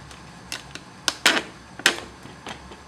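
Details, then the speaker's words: WB HY 10000 pump on first run: quiet hum with irregular sharp ticks, one or two a second, as bigger air bubbles hit the impeller after 2 gallons of fresh water were added to about 10 gallons, lowering salinity. "Now just add 2 gallons of fresh water to about 10 gallons here, so I've got a lot less salinity, and I'm going to have some bigger air bubbles. I can hear them hitting."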